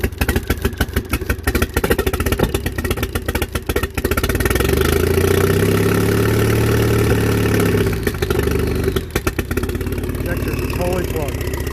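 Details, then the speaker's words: Uneven, lumpy, hit-and-miss beat at idle, like a drum, that swells with throttle; the engine seems to be running on one cylinder. Cause suspected, not confirmed. Misfire. "totally sounds like a hit and miss foreign"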